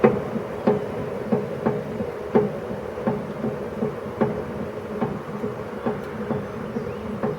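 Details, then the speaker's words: YardMax YW7565 wood chipper, under 4 hours use, fully greased, oil full: cutting wheel coasting to a stop after shutdown, chute open, then hand-spun with plug boot off, gives a sharp clunk about once per revolution, spacing out as it slows; owner suspects warped wheel or bearing obstruction. "you can hear the same sound clunk so it's every sort of one full revolution it makes clunk"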